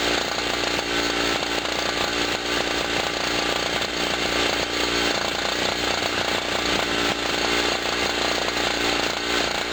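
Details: Generator after its first cold start of 2016, having sat about a year, powering a 40 W bulb and a noisy air pump: a steady, high-pitched two-stroke buzz holds constant speed with the compressor chattering alongside. Healthy under load.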